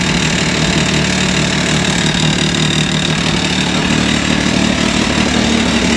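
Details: 2023 Can-Am Maverick X3 DS Turbo after an oil change: steady, even idle with a smooth exhaust drone and no tapping or knock; a brief engine knock and rattle heard earlier went away, engine sounds healthy now.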